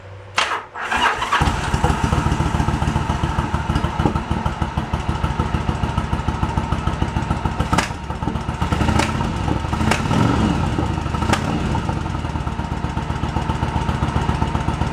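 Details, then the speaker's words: 1986 Yamaha Virago 1100 V-twin, sat about 6-7 years, first start with no choke: catches after brief crank, then a lopsided thumping idle with missing beats; front cylinder dead, fuel delivery to front carburetor float bowl being checked. "Front cylinder's not doing anything. I got nothing on that front. I gotta look into it. So why we got nothing on the front?"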